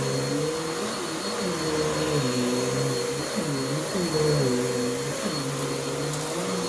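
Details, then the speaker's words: Bissell CleanView-type vacuum with cyclonic separation, about two to three years old, still on its original belt, on a rug at the medium setting: motor hum repeatedly sags and recovers as the brush roll drags; the worn, slipping belt needs replacing. "it still has its original belt on it because the belt almost stopped whenever it hit the rug on the medium setting so clearly it needs a new belt"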